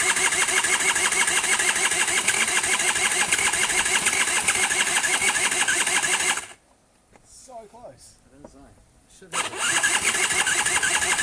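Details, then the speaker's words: Honda Nifty 50 two-stroke scooter parts bike with fuel or oily liquid pouring out the bottom: brisk, even cranking about three turns a second, never fires; spins freely but won't start, spark present, cause not confirmed. "heck, man, this thing's like actually turning over pretty nicely, so I would genuinely like to see if it's going to do anything else."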